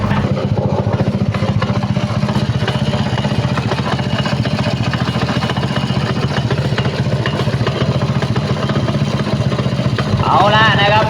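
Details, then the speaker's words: Honda Wave 100 motorcycle with freshly rebuilt engine, reassembled and revved: loud fast clatter about four beats a second rising with revs; magneto flywheel rubbing due to excess sliding play suspected, unconfirmed. "FCพอประกอบเข้าไปสตาร์ทติดนะครับแล้วก็ทำการเร่งแล้วก็เกิดปัญหาเสียงดังอย่างนี้นะครับพี่น้องFCนะมันจะเกิดจากอะไรล่ะทีนี้นะครับ"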